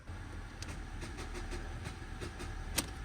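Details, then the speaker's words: 2016 Ford Transit Custom, 72,000 miles, Copart purchase, on jump leads: turning the key gives only sharp irregular clicks about every half second over a low hum, no cranking; cause unknown, owner plans to check whether engine is seized. "You know what? Okay, so it's just click, click, click."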